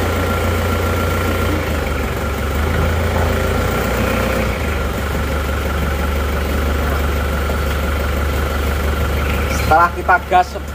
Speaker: Nah ini asap sudah langsung berkurang ya nanti setelah temperatur kerja tentunya akan lebih hilang